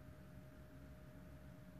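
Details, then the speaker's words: 2007 BMW 1 Series 118d 2.0 diesel non-runner, no DDE (engine ECU) communication, first ignition-on before any work: faint steady electric hum of in-tank fuel pump runs on far longer than it should before shutting off. "I can hear the fuel pump in the tank carry on going it should be off by now that's weird"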